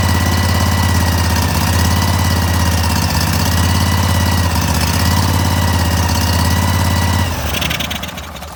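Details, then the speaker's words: Cub Cadet tractor, small twin, after a carb cleaning, airbox off; runs smooth and even at steady fast idle, then winds down at shutoff; owner very happy. "I'm extremely happy with that."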